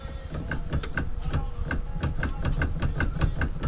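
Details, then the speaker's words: Car with K Pro engine management, owner says steering rack is bad with big play when driving straight: repeated light clicks and knocks, three or four a second, over a low rumble as the wheel is worked; steering rack clunking. "But the only reason why I drag it is because my steering rack is fucked up. Listen to it."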